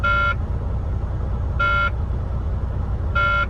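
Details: Truck cab warning buzzer sounding in short bursts about every one and a half seconds over a low idle rumble, at the yard before the first trailer hookup; cause unknown, reported to maintenance.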